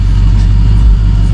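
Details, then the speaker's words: 2002 Cadillac Escalade after hydroboost brake booster replacement: low, steady idle with an even rumble, and the earlier whining is gone. A normal idle. "Uh, but it's all back together. It sounds great and there's no more whining."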